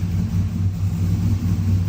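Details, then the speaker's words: Turbo 6.0 AWD Silverado at first fire-up, exhaust cutout closed, running lean (possibly a sensor issue); a steady, even low rumble with no misses, surges or knocks as it holds a stable idle on its own. "oh boy it actually idles sick jeez that was like 5 Seconds worth of work on it idles"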